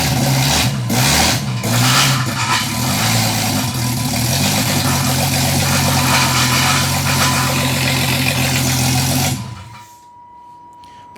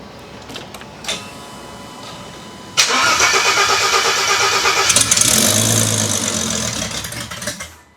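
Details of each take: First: Engine being tuned holds a fast, elevated idle with a steady low drone before shutting off; throttle body set too far open and running very rich, so fuel and idle values are being reduced. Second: Engine previously run to about 90°C operating temperature after a new coil bracket, started before a head retorque. It cranks, fires at about three seconds and settles into a steady, even run with no knocks or misses. It sounds healthy.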